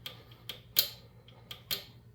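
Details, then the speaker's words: Coleman B200RSV engine rebuild: sharp metallic clicks from a torque wrench reaching the set 17 in-lb while tightening bolts in a diamond pattern. "When your torque wrench clicks, that's that's where you stop you."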